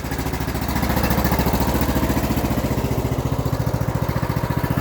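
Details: Craftsman LT3000 (YTS3000) riding mower, given away for a claimed rod knock that the owner doubts, suspecting valve adjustment. Its single-cylinder engine runs with a steady, even low thump and no knocking or ticking, so it sounds normal.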